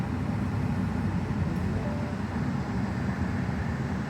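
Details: 2012 Mini Cooper S start-up: steady low engine rumble with an even, settled idle and no knocks or rattles, and no check engine light. A healthy engine just after starting.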